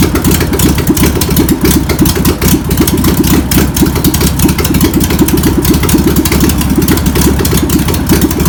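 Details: VW pressed-bumper-panel bus air-cooled engine, sitting over 50 years, runs after penetrating spray and fuel are added. Lumpy, uneven chugging at about four beats a second with a low rumble; needs tuning. Owner suspects a bad fuel pump. Deemed a runner.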